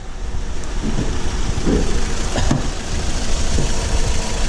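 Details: Acura TSX idling lumpy and uneven with an occasional stumble, like one cylinder dropping out; code P0303 cylinder 3 misfire, ignition coil replacement suggested as the fix, not confirmed.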